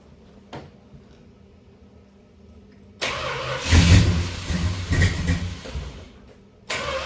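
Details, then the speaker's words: 1968 Dodge Charger 383 V8 barn find stored several years in a barn, first start on a little fresh gas with old fuel still in: catches after short crank, revs unevenly, stumbles, dies and restarts; rough running, owner blames old gas; water pump leaking. "all right well as you can see the um chargers started up um sort of a little rough but uh it's i put some a little bit of fresh gas in it so we gotta get all the gas and junk out of it"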